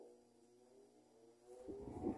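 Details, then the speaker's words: Mallory TS40 fan after repair of noise that occurred only on speed 2, running on speed 3: strong, low, steady hum with no rattle or scrape, quiet, with a brief louder rush near the end. Normal running. "o aparelho tá forte e tá silencioso"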